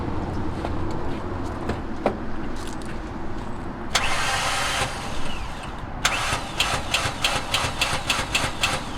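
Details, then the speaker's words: 2002 Ford Ranger started with a booster box after probably sitting a couple of months: idle hum with short ragged bursts of starter whir and clicking that stop and restart before catching; starter failing to engage, needs replacing. "definitely needs a new star though you can hear it it spins a little bit if you keep going back and forth you know i guess it catches"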